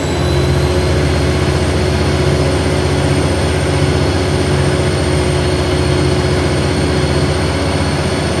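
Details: Arriva Alexander ALX400 Dennis Trident 2 bus 5431 (W431 XKX) on route 24 to Luton: deep heavy diesel drone with thin, steady high whine on top while pulling, called loud turbo whine by uploader; source unconfirmed.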